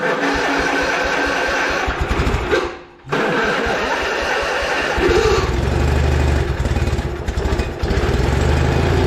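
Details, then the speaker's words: Retired lawnmower being revived for racing, first crank test: choppy cranking, brief pause, then the small single-cylinder catches and settles into a steady, even putter; starts and runs normally. "So, that one runs. Hell yeah."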